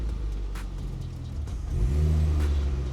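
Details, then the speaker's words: Ford Focus ST-2 bought as spares or repairs, running after the battery was charged (starting problem blamed on the battery): a steady, even low rumble that swells smoothly on a brief rev, with no misses or knocks, sounding healthy. "Okay, cool. Well, it's running and it sounds healthy, I think."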